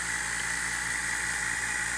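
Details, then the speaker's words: A/C vacuum pump and gauge set, hose fittings deliberately left hand-tight: a steady hollow hiss over the pump's even running as air is drawn in at the loose fittings; the gauge moves and both sides leak. "See, the gauge moved a little bit, but it's definitely leaking. So let's see if it's leaking air. Yep, both of them are."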